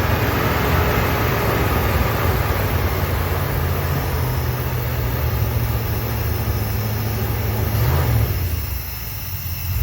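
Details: 1972 Dodge W200 Power Wagon V8, just revived after years sitting, warming, 40 PSI, smoky, valve covers leaking oil onto manifold: steady deep burble, even low thrum, no knocks or misses; idling normally.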